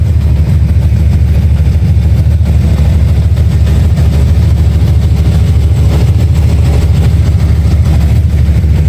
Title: Chasing a ticking noise